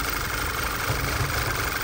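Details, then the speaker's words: VW 2.0 TSI turbo (Tiguan), P2187 code, suspected PCV failure with bell housing oil leak; idling before acetone brake cleaner is sprayed on top, after which the idle stays rough, so no top-end vacuum leak; lumpy beat with steady hiss, crankcase vacuum leak. "a little snow change still Idols rough it means it's not leaking vacuum anywhere on top"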